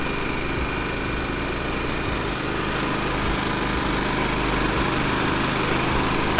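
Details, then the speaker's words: Champion inverter RV generator that wouldn't start, running after the carburetor was taken apart and refitted: steady, even engine hum with no misses, surges or knocks; running normally. "all right powers still not on though generator sounding great"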